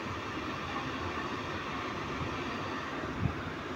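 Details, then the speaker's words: APA 1200CMH air cooler after repairing its dead fan motor that would not spin, reassembled and switched on for a test: steady, even rush of air with no knocking, scraping or speed wobble; normal fan airflow. "Sekarang kita akan Nyalakan Apakah dia berfungsi dengan normal Oke kalian dengar ya itu adalah suara anginnya"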